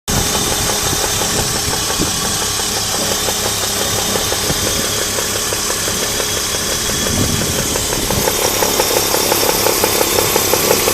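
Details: Alpina Roadster engine at idle with a steady, sharp metallic knock that grows louder toward the end; cause unknown.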